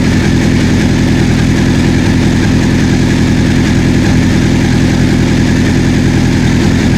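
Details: 1984 Honda CB700SC four-cylinder, first run after fixing a no-spark fault, warming up: smooth, even idle with no knocks, ticks or misses; exhaust smoke clearing, no carb leaks, owner thinks carb sync may not be needed; healthy.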